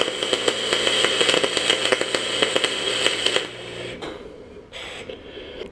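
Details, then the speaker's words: Welding quarter-inch aluminium tubing with the wire welder set for 3/8, on uncleaned metal: harsh irregular crackle and sharp pops over the arc hiss, then it stops. Oxidation and contaminants make the arc and bead spit and jump. "the splatter or the the beet itself it was jumping to cracking around and all that is is was oxidation and contaminants"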